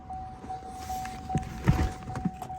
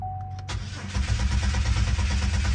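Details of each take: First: 2009 Buick Lucerne that cranked but wouldn't start, after swapping out the burnt fuel pump relay: a few clicks and rattles, then the engine catches quickly and settles into a steady, even idle; starts right up, confirming the bad relay. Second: 2009 Buick Lucerne towed in, cranks but won't start: chime, then steady starter churning without catching; diagnosed as a bad fuel pump relay rather than the fuel pump.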